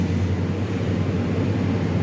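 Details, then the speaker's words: Toyota Sequoia V8, first start after valve cover gasket and brake caliper work: starts right up with a deep, smooth, steady burble and no ticking or misfire. No check engine light; normal idle. "start it right up no issues at all"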